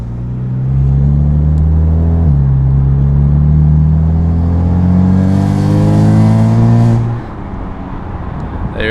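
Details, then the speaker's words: BMW F80 M3 with catless downpipes and a prototype Active Autowerke equal-length midpipe, under acceleration: a loud, deep boom around 2000 rpm that climbs in pitch then drops off. The exhaust resonance drone is still present with this midpipe. "is sadly the noise is still there you guys probably just heard that yikes"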